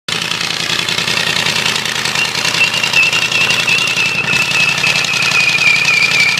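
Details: Ford 351W V8 with a spun rod bearing, running hard with a rough clattering knock and thin whine, losing coolant and burning on top before dying; rod bearing knock.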